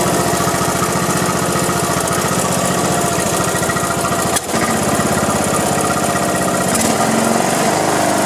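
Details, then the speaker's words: Craftsman LT1500 riding mower, sat in a barn for years and wouldn't run, now revived after drive belt replacement (old fuel); steady, even chugging holding speed with one brief dip, running normally. "but it's all said and done at least it was running she's been going all day long alright let's see let me crank it up for you real quick"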